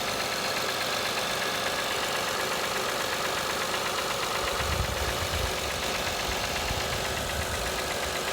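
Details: 2005 Acura TL petrol V6 at 172,300 miles, cold start and rev: busy, clattery running with a loose engine knock, roughly two beats a second.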